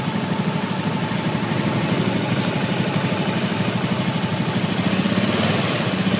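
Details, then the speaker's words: Honda Beat FI scooter after engine rebuild replacing worn connecting rod bearing and rod (previously rattling, sewing-machine-like noise): steady, even idle putter with no knocking from the bottom end; running smoothly, like new. "ya sudah halus, sudah normal ya seperti ee baru lagi ya karena dalamannya ee sudah diperbaiki ya."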